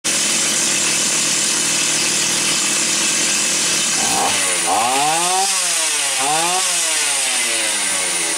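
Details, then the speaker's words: Stihl 028 AV Super, said to have low compression, idle set very low: high buzzing two-stroke holds steady then revs and returns cleanly through quick blips; carb was slightly rich on high and lean on low, compression fine. "low compression it's not gonna run at that low of an idle and it certainly wouldn't have that acceleration"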